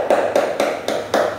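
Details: Older house window frame, heavily painted, tapped with an old screwdriver listening for hollow sounds; about five crisp taps with a dead solid knock, no hollow ring, sound wood with no rot.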